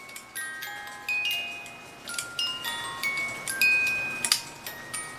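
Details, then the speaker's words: Pre-1970 cuckoo clock music box: plays a few bright notes then stalls and restarts in fits, play-and-hang-up cycle; broken tooth on the governor gear. "cuz it shouldn't be let's say hanging up play beautiful and hang up play play beautiful and hang up"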